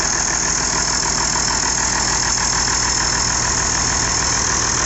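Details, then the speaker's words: IH 5288 tractor diesel, first start after finishing work and bleeding the fuel lines: steady, even clatter at constant speed with no misses, knocks or surging; sounds better than in years, healthy idle. "sounds better than it has in years as well"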